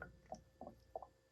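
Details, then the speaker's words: Toyota MR2 SW20 (E153 transmission) clutch slave cylinder replacement, vacuum bleeding at about 25 psi with the bleeder nipple cracked open: three short wet gurgles as fluid is sucked down through the line; normal bleeding. "There you go. It means that there's fluids coming down there, which means that it's actually sucking the system, sucking the fluid line down."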